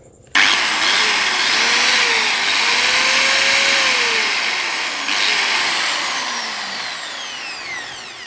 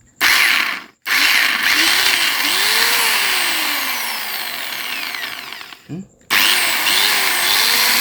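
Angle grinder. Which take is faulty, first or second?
second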